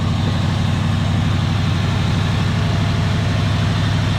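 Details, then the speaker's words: 1965 Ford Galaxie 500 V8 after carburetor rebuild, with known vacuum leaks: even, steady idle with regular low exhaust pulses and no misses or tapping, a little smoke; running pretty well. "pretty good running pretty good listen to her a little bit of a little bit of smoke but not bad"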